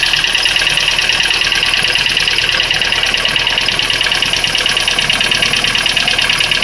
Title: Стук двигателя на холодную Ланос 1.5